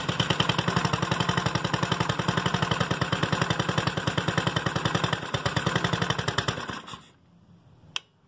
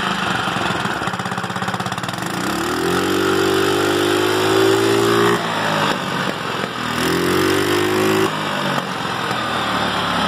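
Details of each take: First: GY6 scooter with another carburetor fitted, spark plug changed and valves adjusted: ragged popping at about four per second with no clean pull; lacks power and backfires from a faulty CDI. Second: GY6 scooter that started but lacked power and would not rev, after replacing the CDI: even idle, revs rise smoothly and drop back twice without stumbling or cutting out; ignition now working properly.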